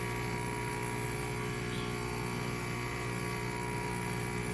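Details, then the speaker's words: Breville BES990 espresso machine, pump running: steady low electric hum never labouring, water level not dropping; pump running nonstop without drawing water, faulty pump suspected, boiler probes also possible. "I don't see the water is going down. I can hear the pump. Pump is going nonstop."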